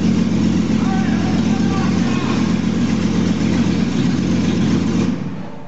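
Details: 2001 Jeep Cherokee Sport, first startup of the newly installed rebuilt engine with the exhaust not yet hooked up, after poor connections were fixed. Loud, raw, even rumble with a steady beat and no knocks or misses; it runs normally.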